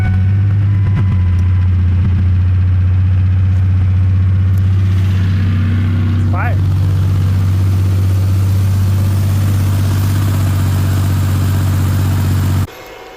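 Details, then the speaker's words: 2001 Ford Ranger, rebuilt 4.0 engine after sitting 2.5 years, idling after adding half a gallon of fuel: steady, even low idle about four beats a second, no knocks or misses until shut off; needs coolant, has oil, sounded good. "I know it's got oil. I mean, it sounded good."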